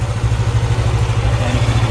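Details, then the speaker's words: Yamaha NMAX 155 after a coolant change and air bleeding, warmed up: an even, steady low putter with no dips or hunting, no longer dropping as before. Normal idle; the owner will monitor whether the noise is gone. "Steady na siya, hindi nakatulad ka ganina yun."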